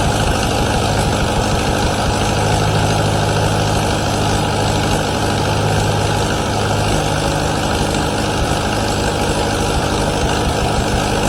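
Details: 1953 Allis Chalmers WD45 tractor, first start after a year of restoration with radiator and new hoses: engine holds a steady, even low rumble with no knocks or ticks; mechanically healthy, though manifold studs and head gasket leak coolant.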